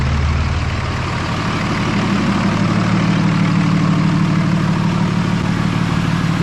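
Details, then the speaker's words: Diesel truck on its first start after fitting new BD Diesel 90HP injectors: it fires and settles into a steady, even low clatter, smooth through the rev with no misses; the smoke is from oil and brake clean. Normal start and rev. "Give it a rev. Nice. Yeah, I'm pretty pumped. I am happy."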